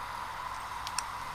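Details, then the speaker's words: Laptop hard drive plugged into an external enclosure spins up with a faint, steady high whine and a couple of light ticks, even and smooth; detected as 232 GB and working normally. "There it is! There's the drive. 232 gigabytes, detected and successfully working."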